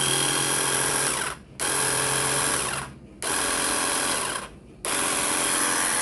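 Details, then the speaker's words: Nagawa cordless high-pressure jet cleaner on a 4Ah battery, no water load: three even bursts of smooth, steady motor whine with clean trigger starts and stops; motor sounds healthy. "suaranya cukup halus ya jikalau kita lihat masih menggunakan motor dinamo Brazil cukup lembut sih enak"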